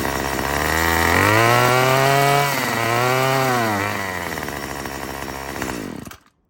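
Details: Murray M2500 trimmer after a new carburetor, fuel lines and cleaning: revs climb, sag, climb again and fade without holding full speed. Still bogs; owner suspects the mixture needs adjusting.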